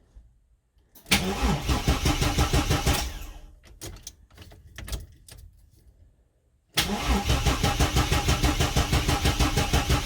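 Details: Bagged Chevy S10 pickup: the starter chugs evenly for seconds at a time without the engine catching. The pump doesn't prime at key-on, so it needs long cranking before starting; the cause was a faulty fuel pump relay.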